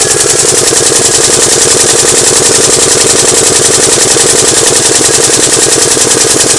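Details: Alfa Romeo engine: began as a light noise, now a hard, fast metallic rattle-knock hammering without pause, with detonations under load; severe internal knocking, cause not yet found.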